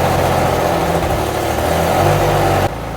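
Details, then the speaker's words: Infiniti G35 at first startup after work, idling rough and lumpy with a stumbling beat from a misfire. "so we started the g up um started fine had a bit of a misfire going on"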